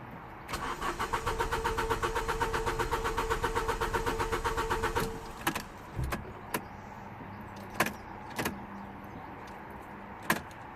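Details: 2007 Ford Ka 1.3 petrol parked 2 years, with fuel pump heard running and ignition cycled to prime it: steady starter cranking for about five seconds, a brief catch, light clunks, then quiet. It did not start.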